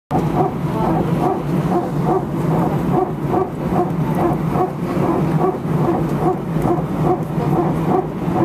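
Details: Air France A319, flight AF2487 Sofia to Paris, 15/01/2012, recorded from cabin seat 18F while taxiing before take-off: rough, pulsing bark roughly once a second, not quite even, over cabin rumble; strange barking noise, source unknown.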